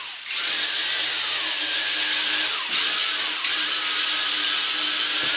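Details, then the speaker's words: WL Toys V262 quadcopter brushed motor, recently replaced: high buzzy whine that sags and surges unevenly every second or so; failing brushed motor, fixed by replacing it again. "here's the problem I'm having it's exactly very erratically not lifted the new motor that's acting as if the motors bag"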